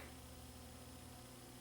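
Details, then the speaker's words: Sony CDP-CE305 5-disc CD changer during playback: faint, steady low hum under a quiet mechanical whirr while the disc spins; cause unclear, possibly a dirty or cheap disc. "ah so it's humming"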